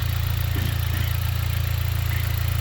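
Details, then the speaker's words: 2010 Dodge four-cylinder idling two minutes after its failed ignition coil was replaced: a low, even idle with a steady soft pulse and no stumbles or misfires; it now runs smoothly. "see now yeah it's running smooth now you see after they change it two minutes and running smooth"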